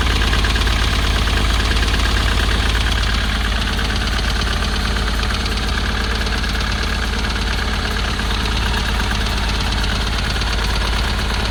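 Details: 2010 Ford Transit welfare van diesel, previously locked solid and suspected hydrolocked, now running: heavy clatter with a rough, uneven knock about three times a second at idle; owner suspects a cracked piston, possibly turbo or injector.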